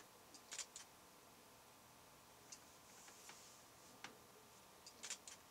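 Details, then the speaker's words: Fuji X-Pro1 shutter firing in a recording studio: soft crisp double clicks spaced a second or more apart, measured below 50 dB at three feet; normal shutter operation. "so we're going to try the shutter sound and see if that will register this is just the sound of the shutter of the uh Fu GX Pro"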